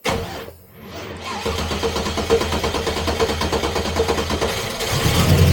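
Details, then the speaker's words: TVR Griffith 500 V8, first start after extensive work and winter storage, fuel primed, low on coolant: brief starter whir then catches into an even, lumpy idle; firing order correct, healthy start. "All right, that fired up pretty nicely. Seems like I got the firing order correct at least. Sounds like a V8."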